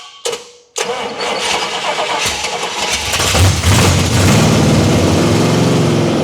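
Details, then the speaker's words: 1979 Pontiac Trans Am V8 after crossed plug wires were fixed and the 180°-out distributor corrected: a couple of cranking bursts, then it catches and settles into a rising rumble, rough at first and thirsty for fuel. It is running. "Woo! Well, she's running. And I think that's probably about where I'm going to call it."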